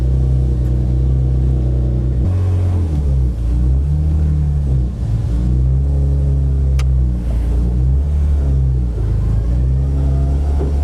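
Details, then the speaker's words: BMW M52 built into a 3.0 L stroker with M54B30 crank, high compression, aggressive cams, ported head, first track test: strong clean note rising and dropping at shifts, no knocks; healthy under load, front right tire rubbing. "Wow. It's so fast. You can hear it rubbing on the front. Wow, that's so strong."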